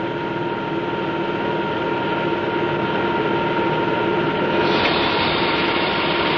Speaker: The pressure is low and the propeller RPM is constant. Notice the cavitation on the blade faces as well as in the tip vortices.